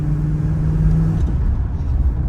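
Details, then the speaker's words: Pontiac Trans Am V8, warmed up, after a curve kit was added with base timing set back to 13 degrees, on its first drive under load with the secondaries possibly opening at wide open throttle: heavy, steady rumble with no pinging. "I don't hear any pinging, so that's good."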